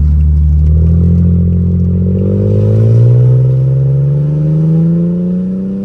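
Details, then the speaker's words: Mercedes W210 E320 sedan, 4-speed automatic, run after sitting over a month, with new conductor plate, fresh fluid and Transgo shift kit. Engine revs climb and stay high with no shift drop, stuck in first with no check-engine light. Owner suspects a solenoid, not the valve body. "y'all see that it's not it's not shifting at all it's supposed to be one two three four this is a four damn speed training"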